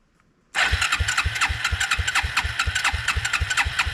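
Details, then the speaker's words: Suzuki King Quad 300 after gas tank repair, petcock dripping, choke on, petcock on prime: quick even cranking about seven chugs a second, never fires; fuel starvation suspected. "Let's put it on prime. Doesn't look like I have too much fuel down there"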